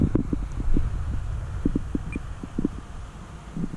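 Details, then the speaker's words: Carbon Z Cessna 150 large electric foam RC plane on landing approach: low fluttering roar with uneven pulses as the motor throttles back; normal roaring all these Carbon Z planes make. "you hear that roaring roaring soon that goes away do not let that bother you in these giants in these giant airplanes these big foamies the carbon Z's they have every one of them had that roaring"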